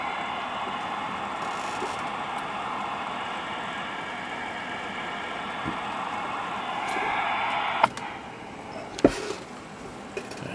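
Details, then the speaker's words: Cobra 2000 CB radio receiver (no receive light, S-meters stuck), RF generator on: steady white-noise hiss that should be stone quiet, dropping away after a couple of clicks as the generator is switched off; receiver fault, cause unknown. "but i know you can hear that white noise now there shouldn't be any noise it should just be stone"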